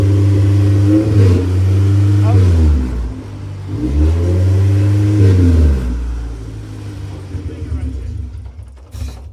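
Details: First start of the K-series swapped Honda Civic race car on a jumper box (battery dead): engine catches and revs unevenly, surging and sagging for a few seconds before dying; a vacuum leak is blamed for the rough first run.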